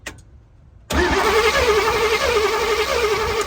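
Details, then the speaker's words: Vintage Chevy van that sat for years: even chug of compression strokes, about three a second, while cranking with no firing. The engine rotates with compression, but no spark is seen, so it won't start. "okay that's good news the engine does rotate it does spin over and it does seem like there's some compression in there"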